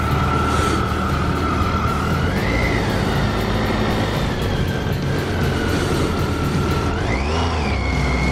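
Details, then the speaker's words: Brand-new 2014 Triumph Tiger 800 on its first ride home: clean, steady whine rising in pitch with each pull through the gears over smooth engine drone and wind; healthy, smooth-running bike. "Oh man, this thing is smooth and light."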